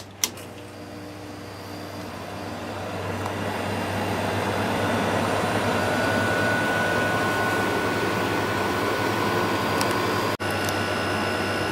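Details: Whirlpool 5000 BTU window air conditioner with Rechi Precision compressor, roughly 70°F ambient, output dropping below 50°F then about 41.5°F; steady hum, low drone, soft fan rush, no rattles or knocking, running normally.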